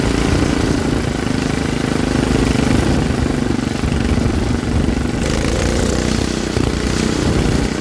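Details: Troy-Bilt rear-tine rototiller engine after magneto cleaning restored missing spark and carburetor cleaning, choked for carb adjustment: single-cylinder settles into a steady, even chug with no misses or knocks; running normally.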